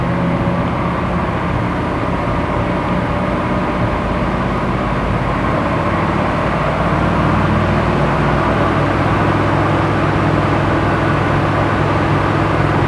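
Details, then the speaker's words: Crazy Taxi car on dyno in first gear with Holley Sniper EFI during tuning, light load: loud steady high-rev roar with fast choppy stutter, about four cuts a second; engine hits the rev limiter quickly, a noise never heard before from it. "It hits the rev limiter pretty quick. I've never heard it make that noise before."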